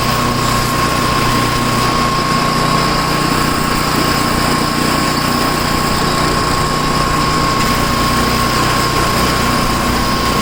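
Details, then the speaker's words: Tecumseh-engined snow blower started after sitting 10 months, choke on and throttle up, fitted with a new adjustable-mixture carburetor left unadjusted. It runs at high speed with a smooth, even drone and a faint steady whine, no surging. Runs good. "It seems to be alright. High speed. Runs good for a Tecumseh."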